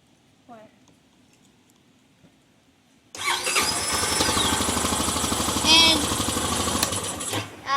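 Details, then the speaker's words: 2008 Honda Rancher 420 ATV after installing a new starter; quiet, then a short crank catches cleanly at about three seconds and settles into a steady, even run; starter engages and engine fires fine. "it worked and all right guys"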